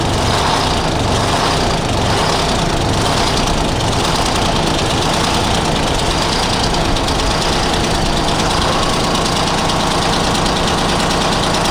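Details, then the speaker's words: 1975 Freightliner FLT with a Detroit Diesel V12 two-stroke, just after bleeding the fuel system: loud, lumpy idle with an uneven beat and one dead cylinder on a bank. "Good. I got to have a dead one on this bank or something."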